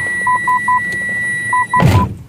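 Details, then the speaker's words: Toyota Yaris automatic with a failed reverse parking sensor: short paired beeps around 1 kHz repeat steadily, then handling noise. Pressing the sensor gives no response on the audio display, so that sensor is judged faulty. "tapi kalau yang bunyi tit tit tit itu ini karena sensor mundurnya rusak"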